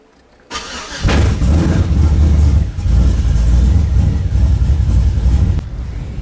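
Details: Drive-by-wire engine with a newly fitted throttle body, during a cold start on the VCM scanner: it fires after a short crank into a lumpy, uneven, loping idle. The cam was found too large for the stock induction.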